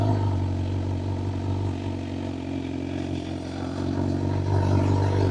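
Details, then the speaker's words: Motorcycle pull-away with clutch just before friction zone and slight throttle preload above idle: low steady thrum, revs lift a touch and stay even as it moves off without bogging; smooth pull-away. "Now, you don't need a ton of throttle to preload. Just a little bit to raise the RPM slightly above idle. Think of it as a gentle purr and not an angry roar."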